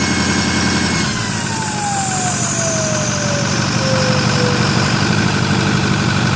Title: Loud noise from 6.4l no boost